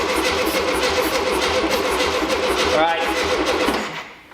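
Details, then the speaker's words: 1973 VW Beetle with freshly installed replacement engine, throttle held open on brake cleaner: steady cranking about three and a half beats a second, never catches; no-start, ignition timing suspected way off. "this guy been facing more that's where timing probably way off all right go ahead and crank it"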